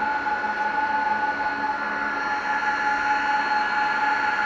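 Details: Dell PowerEdge R410 server booting for a VMware install in a data center: loud, steady rushing fan roar with several constant high whistling tones; the fans run flat out at startup, as normal.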